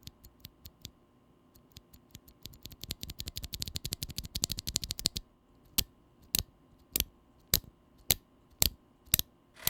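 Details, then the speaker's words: Glorious Panda tactile mechanical keyboard switches being typed on in fast bursts, then slower single presses; each stroke leaves a faint metallic ping, the switch's known leaf spring tick that could bother some users. "the glorious panda has a particular leaf spring tick noise or ping that could be a problem to some users"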